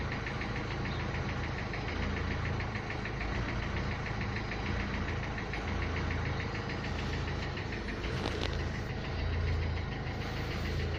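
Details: Renault Clio 3 1.5 dCi 105 hp diesel at idle: sharp even ticking clatter at firing rhythm, noise attributed to the injectors.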